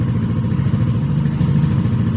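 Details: 2021 Yamaha NMAX 155 that suddenly would not start despite a 99% battery, fault traced to a blown 7.5 A signal fuse: steady, even low burble with no knocks, ticks or dropouts; smooth, healthy idle.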